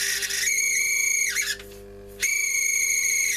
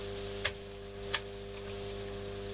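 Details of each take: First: Telefunken Magnetophon 95 West German tape recorder on the bench, testing the speed control; shrill chirpy high squeal riding over the running transport in bursts, likened to a budgie on heat. Squeal, cause unclear. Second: Telefunken Magnetophon 95 tape recorder after its original belt was boiled in the microwave with salt and treated with rubber renewer: steady low hum, two soft switch clicks, no scraping or squeal; earlier noise gone and speed corrected.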